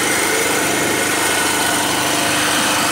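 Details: After a local young man in Sifoe, Gambia repaired it, the pull-started small generator buzzes at a steady high-pitched speed with no hunting or stalling, starting and running properly: normal running.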